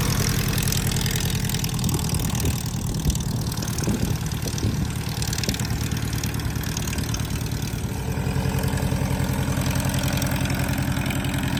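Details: Starduster radial-style engine at idle with a steady even thrum, no misses or knocks, after a repair in which the pump was run and checked for leaks; now ready to taxi.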